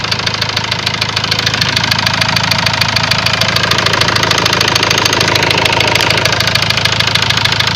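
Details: Ford Transit diesel at idle: a steady, even, deep knock at about 200 per minute. Subsequently a warning light came on, revs stopped increasing, and codes read high-pressure calibration data, cylinder balance and a leaking injector. Cause not confirmed.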